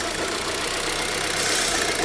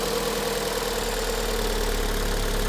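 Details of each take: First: 2006 Vauxhall Vectra-C with the Z18XER engine at idle: a steady airy hiss with slight rev drops and hesitation, a vacuum leak traced to a failed PCV valve in the cam cover, which is to be replaced. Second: 2006 Vauxhall Vectra-C with the Z18XER engine, after replacing the PCV valve in the rocker cover, which had caused idle hunting and a sucking hiss. It now gives a smooth, even idle with a steady low hum, no hunting, and no hiss from the oil filler.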